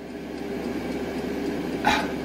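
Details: Sink pump motor in a camper truck. Its hum wavers and swells in loudness instead of holding steady because badly corroded supply wiring gives inconsistent amperage, even after the connection was soldered.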